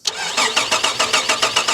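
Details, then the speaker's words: Holden VR Commodore manual project car: steady starter whirr with even cranking pulses, about five per second, but it never catches; crank no start, crew notes no injection, injectors look dry after lifting the fuel rail; cause not yet found. "Yeah, all right. No injection, [snorts] bro. >> No injection, bro."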